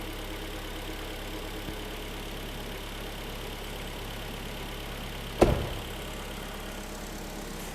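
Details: Korean G4KD engine just overhauled, first start with fresh antifreeze after an AC compressor whistle stopped: even, steady idle with no knock or whistle, one stray clunk; healthy normal idle.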